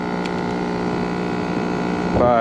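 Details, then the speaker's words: Packaged three-phase AC whose compressor had overheated with open windings the day before: flat, steady droning hum with no load change, pressures near equal, about 52-53 amps, not pumping; compressor running backwards, phases need swapping. "53 Wonder it's out of phase that just seems strange it's just not pumping"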